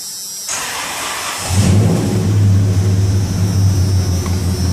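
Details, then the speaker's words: 1996 Dodge Ram 2500 V10, 225,000 miles (title says not actual miles), exhaust just refitted, all 10 rusted spark plugs replaced; short crank then deep, fairly even rumble with no misfire stumble: normal start-up. "that puppy fire up boy i just changed the exhaust on it"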